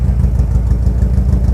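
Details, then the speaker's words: Locost Seven kit car with a 2T-GEU engine, idling on the dyno during tuning, running slow and less rich than before with no black smoke; slow, low idle with an uneven, lumpy thump from beat to beat. Rough idle. "yeah it's running a little bit slower this one's a bit lumpy"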